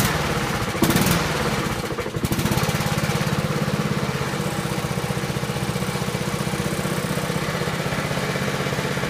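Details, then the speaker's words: Honda HRT216 lawnmower, cold start; owner first suspected a stuck valve: rough for a couple of seconds, then settles into an even, steady single-cylinder beat, smoothest it has run. "wow no way smoothest I've ever even seen it run before"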